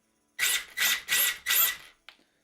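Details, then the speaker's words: 2WD/4WD RC racing buggy, slipper clutch deliberately set wrong after being warmed by a few punches: short high whirring bursts with smeared drive that never bites, slipper warm; slipper clutch slipping because set too loose. "You could hear hopefully the slipper slip quite a lot. This means the slipper is too loose."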